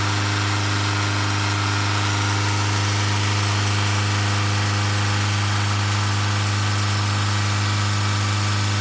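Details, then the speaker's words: Tata 2.2 diesel 150 hp after rebuild (scored crankshaft, failed oil pump; new bearings, pump, head gasket, timing belt, fuel tank, injectors recoded): steady even idle, constant low drone, no misses or knocks; normal. "อ่าเรียบร้อยฮะเครื่องเดินนิ่งละอ่าเดี๋ยวไปักลองวิ่งเทสกันดูนะฮะ"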